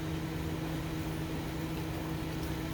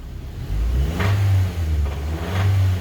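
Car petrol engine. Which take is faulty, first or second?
second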